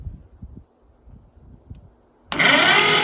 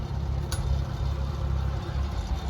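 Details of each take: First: 1941 Oliver 70 tractor, engine previously stuck: starter spins engine fast and evenly about three seconds with no chuffing beat; owner guesses there is no compression; fast cranking. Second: Oliver Super 77 tractor engine idling: slow, steady low idle with even beat, a couple of light metallic taps in the background; normal idle.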